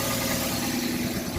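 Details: 2005 Toyota Corolla with an intermittent no-start complaint, here catching and settling into a steady, even idle with no knocks or misses.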